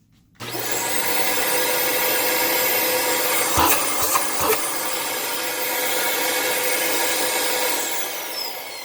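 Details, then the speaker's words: 2006 Dyson DC18 Slim All Floors, newly bought: steady motor roar with a thin whistle on top; owner suspects cat litter plugging the cyclone shroud holes and restricting air, not the motor, though he is unsure. "yeah I think it's just making that noise because the some of the shroud holes are plugged with cat litter I could be wrong though but I don't think that's the motor so I think once I clean out that cyclone assembly that little like whistling noise will probably go away"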